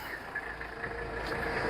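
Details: 1985 Mercedes 300 SD diesel just after a glow-plug cold start: steady, even idle with a soft consistent hum and no knocks or misses; healthy engine, but the alternator showed only 11.7–11.8 V.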